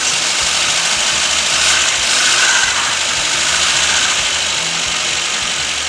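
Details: 1969 Volvo 142 S after fixing the fuel pump: steady, even idle with a constant hiss on top and no knocks or stumbles; engine running smoothly.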